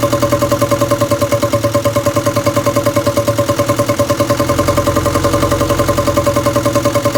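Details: 1962 Land Rover Series 2A 2.25L diesel, after setting pump timing: lumpy idle around two hundred beats a minute with ringing tappy clatter, rocker adjusters left completely loose from exhaust-peak timing check, giving excessive valve clearance.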